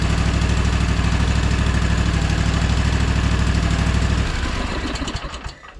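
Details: Gravely ZT HD-48 zero-turn mower, Kawasaki FR691V V-twin, idling after a 100-hour service with fresh oil, air filter and spark plugs: steady, even low thrum, then shut off and winding down; healthy, no leaks.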